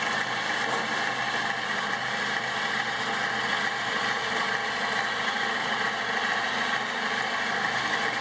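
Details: Homemade bandsaw built from a scrapped portable lumber-mill saw, thick-walled bearing, running on a small battery: steady mid-pitched motor hum and blade whir, no knocking or grinding; normal running.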